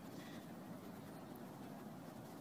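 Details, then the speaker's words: Pool and spa leak detection with hydrophone: constant gushing hiss at the spa skimmer fitting, shallow leak in a skimmer seam eaten out by acid, to be confirmed with dye. "and it sounds like it's around the fitting it doesn't sound like a deep leak but we're going to take a look with dye in a minute"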